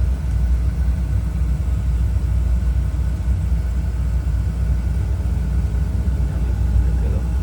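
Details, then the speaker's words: Oil-fired heating boiler burner after repair: it had made strange noises and shut off because the pump coupling wasn't gripping the pump so oil wasn't drawn in. Now a steady, low, even roar, no knocking or rattling; runs smoothly. "Excelente. Y suena bien suavecito, ¿va? Ahí estamos, llamar un rato que corra."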